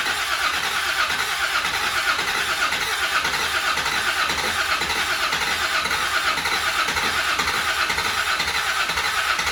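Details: Land Rover Defender 90 Td5 diesel, first start after top-end rebuild, fuel primed: long steady starter churn, about two uneven pulses a second, never firing; cranks without starting.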